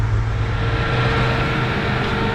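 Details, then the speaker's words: 1996 Mitsubishi Montero with a new, re-tensioned belt, idling with AC on: steady, even idle with no belt whine or squeal, though the AC isn't blowing very cold because refrigerant is low. "okay it's running it's not whining but it's not blowing super cold"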